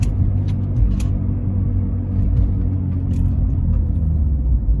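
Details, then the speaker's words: Volvo V50 T5 while driving: a low, steady growl under road rumble that grows when the car loads onto the outside tire. The owner calls it a wheel bearing groan, but this is unconfirmed. "all right hopefully you guys Heard It In that clip that's a wheel bearing growing sound so here's more of the groan sound"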